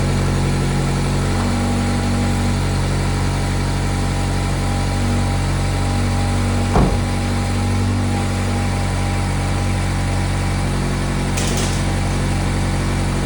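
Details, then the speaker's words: ND2 Mazda Miata after an engine and transmission swap, replacing an engine damaged when the timing chain skipped: the first start is quick after priming fuel, settling into a steady, even idle with a smooth low hum and no knocks or misses. "that's very good news the car has started without an issue had to Prime the fuel a little bit engine sounds good though and it started quickly"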